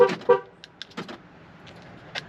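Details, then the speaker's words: Flood-damaged 2012 Ford Focus, submerged to the roof in Hurricane Helene and sitting for months: two quick horn toots then faint chirps as the alarm triggers the moment the battery is connected, showing the body control module has power. "uhoh alarm's going off that's good right yo the key"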